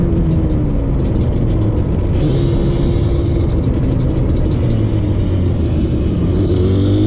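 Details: 2001 Yamaha Banshee 350 two-stroke on a POV ride after new clamps fixed an exhaust leak. Revs hard through the gears under heavy wind, pulling cleanly with no exhaust puffing; performs better, normal healthy two-stroke exhaust note.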